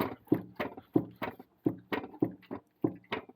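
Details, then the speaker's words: Nuoman NM-E08 mini excavator after one year: hollow clunks about three a second as the engine rattles on worn-out low-quality engine mounts and strikes the seat, engine cover removed. "Entire engine just rattles about. And what you're hearing, that sound, is the engine hitting the seat."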